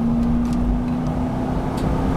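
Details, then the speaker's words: Ford Bronco V8 automatic, overdrive on, floored on the freeway from about 50 mph: steady, strong roar with even drone, no knocks or misses; pulls strong, normal full-throttle acceleration. "And you can kind of see how it's accelerating. So we'll shut her down a little bit there. But, I mean, it just pulls strong."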